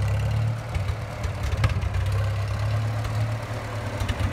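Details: 1954 Farmall Super M tractor, hood off, bought at auction as non-running, warmed up with oil pressure pegged. Steady, low, even beat at idle with no misses or knocks. Normal running.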